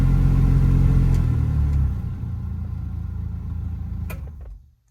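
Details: 1986 Toyota Pickup heater blower fan: a low drone with a rhythmic wobble of about four pulses a second that gets worse at higher fan speeds. It comes from debris in the squirrel cage, and cleaning it out ended the noise.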